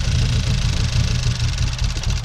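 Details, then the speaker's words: 2013 Hyundai Veloster four-cylinder, over 100,000 miles, misfiring on cylinders 1 and 3 with uneven, lumpy idle and irregular dips before stalling; suspected failing gasoline direct injection high-pressure fuel pump, replacement ordered. "it okay you can hear this thing is misfiring all over the place it is running"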